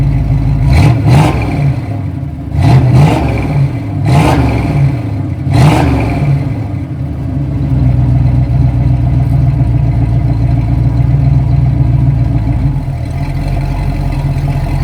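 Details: 1971 Ford Torino, rebuilt 302 V8 with C4 automatic, after idle mixture screws were adjusted evenly on both sides: a few sharp blips rising and dropping cleanly, then smooth, even low idle. It revs and idles clean; the carburetor, a little lean, needed only slight tweaking.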